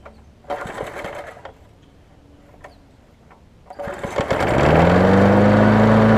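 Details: Engine from a rusted-out Sycamore 19-inch push mower, repowered onto an aluminum Craftsman deck. Oil and gas spilled when the engine was turned sideways, so some burn-off smoke was expected. A few clicks, then it catches and settles into a smooth, even run: normal running.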